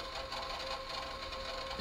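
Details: Yamaha KX-630 three-head cassette deck after servicing, separate motor for wind than for play: steady motor whir with a rough, gritty grinding edge during fast forward/rewind; wind mechanism crunching while play and record work fine; cause not confirmed.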